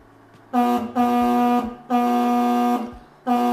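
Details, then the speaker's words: Denali Soundbomb Mini horn on a 2023 Kawasaki KLR650 in the stock location, with all fairings installed and pushed up against it: four short blasts with a flat, choked, buzzy tone. Panel contact totally changed the horn's sound. "we thought this was going to be an easy installation until we put the panels back on and that totally changed the sound of the horn"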